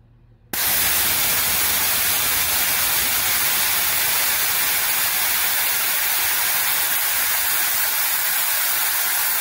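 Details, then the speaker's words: Free air compressor after replacing the pressure switch with a Lefoo LF10A-4H (75 psi cut-in, 125 psi cut-out): the pressure relief valve is pulled and a sudden loud, steady hiss of air holds as the tank vents normally. "i'll demonstrate that by just pulling this pressure relief valve here that should bring the pressure back down and once it gets to about 75 or 80ish it should turn back"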